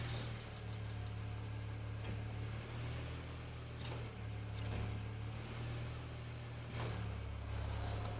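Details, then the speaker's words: BMW 335i N54, just after an MFactory 1.5-way LSD was installed in the rear differential, warming up at idle in drive: steady low idle with no rhythmic or whining noise from the rear end. The differential sounds quiet and healthy. "Alright, we're in drive. No strange noises from the rear end."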